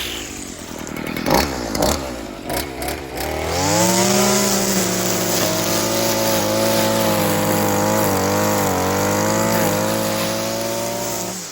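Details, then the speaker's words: Stihl FS55R string trimmer two-stroke after carburetor repair (new diaphragm and primer bulb, low-side fuel adjustment), warmed up: a few sputters then clean rev to steady even high-speed run without surging or stumbling; running good, dialed in. "say it's running good awesome all right well I think we've got that thing basically dialed in"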